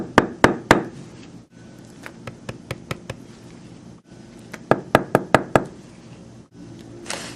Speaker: that less demonstration you could hear that I didn't have a good solid knocking or rapping sound should sound like a woodpecker knocking on a tree